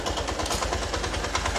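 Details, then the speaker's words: Honda Titan 150 motorcycle with its original Honda cylinder, previously run while the oil pump wasn't feeding the top end; the piston was replaced. In first gear under load, a fast, even top-end tick-tick rides over the engine's pulsing. Cause unknown. "Ela fica um tec-tec enjoado. Você escutar, ó. O barulho vem de cima."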